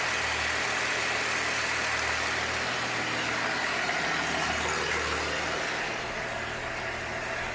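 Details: 1966 Chevrolet C20, Chevy 292 six, just after first start, still cold: steady idle with even exhaust pulse and some hiss, sitting a bit high; owner will warm it up and set timing. Fast idle.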